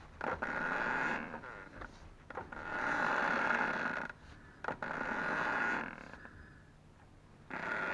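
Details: Ford Focus 2, 2.0 automatic, new Loebro drive shafts at 1000 km: both outer CV joint boots, left and right, squeak as the wheel turns, with short high squeaks in bursts of a second or two.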